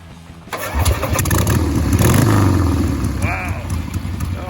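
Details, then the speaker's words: 1979 Harley-Davidson Ironhead Sportster XLS1000 chopper after valve adjustment, rebuilt Keihin carb, new plugs and fresh oil: cranks, catches and blips with a steady lumpy beat, no misses or rattles. Runs smooth, far better than before. "sounds better so much better man that sounds awesome that sounds way way better"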